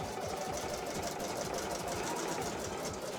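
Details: Domestic single-needle embroidery machine being test-run before return to the customer. Quick, steady needle chatter at about three stitches a second, smooth and even. Normal embroidery machine stitching.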